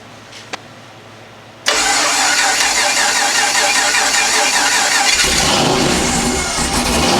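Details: LS-swapped Foxbody startup after fixing a starter wire off the solenoid: a brief crank, then it fires hard and holds a steady, strong idle with no misses or knocks. Normal start and idle.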